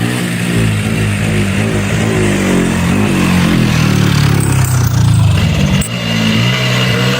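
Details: Scrap four-wheeler (ATV) repaired in a driveway, small single-cylinder engine: revs rise and settle cleanly with throttle blips, no misses; now running and driving, smoking less than before.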